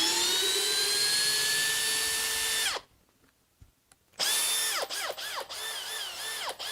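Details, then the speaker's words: Makita cordless hammer drill (XPH07 vs XPH14 test, speed 1, drill mode) whose motor first sounded bad and smelled of burning: steady high whine under load with short trigger bursts, now sounding even and better; normal motor running. "it's actually sounding better that's a the motor sounding better than when we first started the video maybe we just needed to work on something to straighten something out yeah but yeah it sounds a lot better now"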